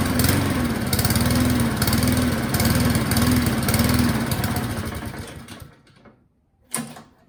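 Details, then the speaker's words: Self-drive cylinder mower with new spark plug, pull-start on choke: chugs at a fairly even beat a few seconds, then fades and stalls off choke; owner suspects running jet, carburettor needs cleaning. "Now what do? I mean, I think it needs the carburetor cleaning out. That felt like a running jet problem."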